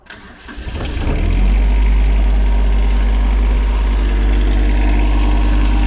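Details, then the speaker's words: Tired-looking 2012 Shindaiwa unit, fired up in shop; cranks, catches within a second and settles into deep, even idle with no misses or knocks, runs like new. "runs like a new one."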